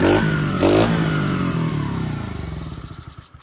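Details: 2021 Kayo 70cc kids dirt bike, under 5 hours, after carburetor cleaning fixed a no-start: small single rattles along, blips a few times, then is switched off and fades in slowing pops; runs normally.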